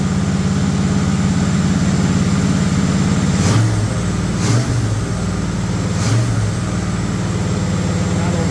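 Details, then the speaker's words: Freshly built used-parts V8 in a 1958 Chevrolet Apache, first start for cam break-in, held around 2,000 rpm with speed varied: steady, even low rumble at fast idle with no knocking or ticking; normal. "We just rolled it over. We got it set at 2 grand-ish. We got to vary the speed."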